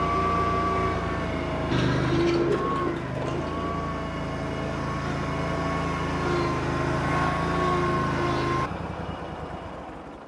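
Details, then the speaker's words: Bobcat Predator Pro zero-turn, Generac engine that lost power in tall grass; wide-open throttle with full forward drive as load, oil burning off the muffler: steady drone dips briefly as load comes on, then pulls back to speed; governor catches load normally. "Um, so what I was trying to show you guys as I went down the driveway and turned around, I went wide open throttle and I was trying to give it a load."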